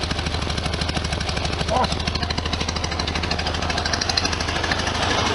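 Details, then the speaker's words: 1973 VW Super Beetle air-cooled flat-four idling after valve cover gasket and oil/filter change: an even, regular chuffing beat with steady rhythm and no misfires; normal idle. "not too much noise coming out fantastic can't really feel anything there"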